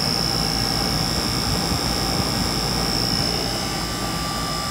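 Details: Rooftop 5-ton AC unit (58.2 ANW 060) on a no-cooling call: indoor blower motor, after its burnt-out capacitor was dealt with, gives a steady airflow roar with a thin high tone at 4.8 A versus 6.2 A rated; normal blower operation.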